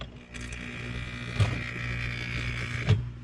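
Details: Snail-aquarium water pump after repair by bending its small magnet bar: smooth, steady low hum from the vibrating diaphragm with a couple of handling clicks; the pump now runs properly.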